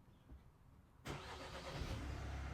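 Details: 2018 Vauxhall/Opel Astra K 1.6 CDTi with intermittent start (codes U18A2, P12A6), after sitting locked five minutes: faint fuel pump prime hum, then diesel fires at once into steady even idle; starts normally.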